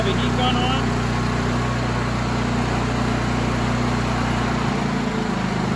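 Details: Honda EM6500SX generator after new carburetor and battery installed (old carburetor bad from stale gas), breaker off, no load, warming up: steady fast drone at constant high speed, no misses, surging or knocks; normal running.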